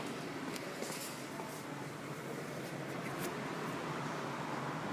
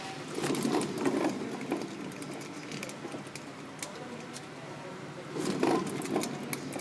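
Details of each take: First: Honda Fit rear hub, normal left side spun by hand for comparison with the faulty right: only a soft, even whisper, no droning or grinding, normal wheel bearing. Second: Honda Fit right rear hub spun by hand: a rough, churning "go-go" rumble from the center axle area that grows with rotation speed, from a failed hub bearing. The normal left side is quiet.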